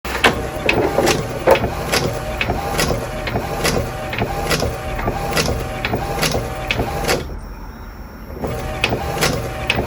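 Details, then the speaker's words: Epson EcoTank inkjet printer knocking and ticking about once a second as the carriage runs: the strap holding the ink hoses had come loose and is catching. "essa pecinha aqui tá solta"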